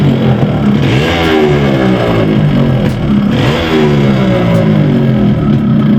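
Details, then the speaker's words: Yamaha RX135 two-stroke running a size-50 piston, before teardown of the block. Revving up and down with a hollow metallic clatter riding on the exhaust note: piston slap. "तो engine में इस तरह की sound है।"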